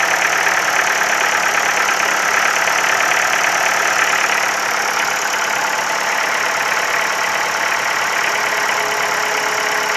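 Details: Ford Focus 3, 1.6 L 125 hp engine at steady idle with a fast, light ticking knock, about four per second, over a bright engine hum; engine knock of unknown cause.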